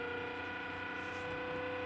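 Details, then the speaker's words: 1983 Technics RS-M245X two-head DBX cassette deck, bought unserviced: steady mechanical whirring with a faint ratcheting texture. The deck tries to play and the counter advances, but the transport does nothing; cause not yet known. "well it makes a lot of noise it's trying to play right now somehow we've got the counter advancing"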